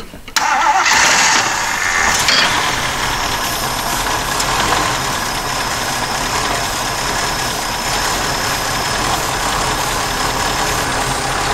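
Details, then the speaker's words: 1977 Jeep CJ-5 that sat for years: the engine fires briefly on sprayed carb cleaner with a thin, uneven run and can't keep going. No fuel pours from the fuel pump, so the pump does not function. "great looks like our fuel pump does not function hmm back to the drawing board"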